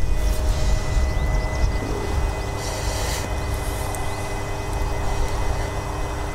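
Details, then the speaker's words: Dzhileks Vodomet 55/35 submersible pump driven by a budget HY-2 inverter pressure controller, water flow increasing: low, even hum with steady faint tones, no knocks or surging; normal smooth inverter ramp-up to highest RPM. "increasing the water flow for it. It's smoothly transitioning to the highest RPM."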